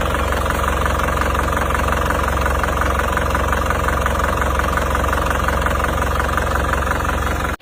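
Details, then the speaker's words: Isuzu Panther Grand Touring Euro 2 diesel burning oil, before rebuild: loud steady clatter at idle with constant hollow chuffing; smoke even cold, thicker hot, spurting from dipstick tube; heavy crankcase blow-by. "Kalau kondisi panas mesin ini asapnya menjadi semakin tebal. Kalau setik oli dijabut itu asapnya menyembur teman-teman, seperti ini."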